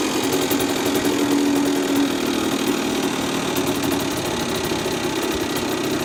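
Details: Honda NSR50 two-stroke with bored-up cylinder (Daytona 62.9cc, later stock-based 65cc): idling with light uneven knock about three times a second from the bottom end; owner suspects crank big end or balancer bearing, not confirmed.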